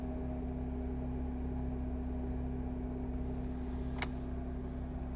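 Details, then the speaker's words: 2005 Honda Accord coupe at idle, engine warm or cold: a constant flute-like whistle/hum at one pitch over a smooth idle, from the intake manifold/throttle body area. Persists despite a new PCV valve and a cleaned throttle body; source not yet found. "tiene un problema con un sonido muy extraño tipo silbido tipo zumbido como una nota que se mantiene constante cuando el carro está en ralentí"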